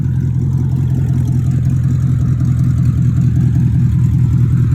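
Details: 2002 BMW 745i V8, flood-damaged electrics, after power control module swap: deep, heavy, steady rumble with almost no top end, far louder than stock; catalytic converters removed and sold, leaving open pipes.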